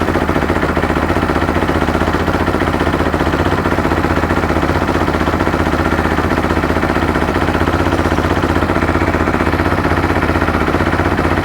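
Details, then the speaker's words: 2013 Bennche Spire 800 UTV right after an engine swap, fresh oil, some smoke from excess oil; steady, even low idle with smooth regular pulse and no knocks or ticks; engine and exhaust quiet, sounds healthy. "that sounds really good motor nice and quiet exhaust of course it's going to smoke like I said before plenty of oil in this thing exhaust is quiet"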